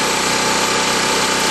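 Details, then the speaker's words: 196 cc 3250 W portable generator, load removed and fuel valve off so it cools while running the carburetor dry: steady, even putter at constant idle speed with no misses or surging; normal idle. "turn off the fuel valve now it'll take a few minutes what this does it allows it to cool down while it's running out the laughs with the fuel and so therefore the carburetor will be dry which is a good thing"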